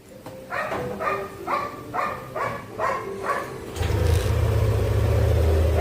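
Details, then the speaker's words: Yamaha Aerox scooter that kept dying while running for two months, restarted after a part was bypassed: dog barks, then the engine catches and holds a steady, even idle with no stalling or misfire; confirmed no longer dying. "Oh mgaabok confirm hindi namamatay ung motor."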